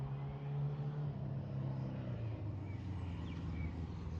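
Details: 1977 Suzuki GS750 on a test ride: low, even four-cylinder burble with steady pitch and no misses or stumbles. Not perfectly tuned but rideable; normal running.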